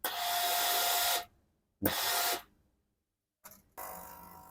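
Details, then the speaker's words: Blue Philips steam iron giving weak steam: each press of the steam button brings short hissy bursts with a thin whistle, as if the steam is straining to come out fully but can't. The pump sounds normal; the technician suspects a scale blockage, with red specks seen in the steam port. "เวลาเรากดไอน้ำทุกครั้งนะครับจะได้ยินเสียงวีดวี๊ดเหมือนเคแบบว่าอยากจะออกมาเต็มที่นะครับแต่ออกไม่ได้นะครับคิดว่าน่าจะเป็นที่ตัวตันนะครับ"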